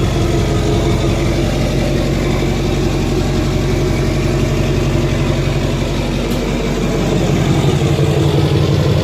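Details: 2007 Duramax LBZ diesel, deleted, 4-inch MBRP exhaust, after replacing up-pipe gaskets to cure a screeching boost/exhaust leak under load: deep, steady idle with an even beat and no hissing or puffing. Leak appears fixed.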